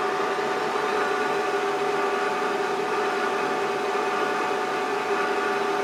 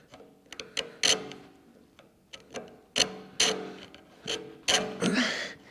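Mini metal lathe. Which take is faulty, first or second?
second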